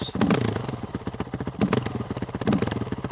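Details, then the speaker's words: Honda CRF450RL on an Athena GET ECU, after throttle and TPS were checked: uneven single-cylinder idle with occasional stumbles, idling lower than it should and not smoothing out; rough idle, cause unclear. "The other thing with the GET, for some reason, I can't smooth my idle out. You can hear it. It's idling a little lower than it should be."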